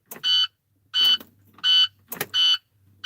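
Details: Dump truck key-on: shrill evenly spaced beeps about 86 per minute, the normal warning buzzer before cranking; truck then only clicks relays and won't turn over, owner suspects a signal or ground wire.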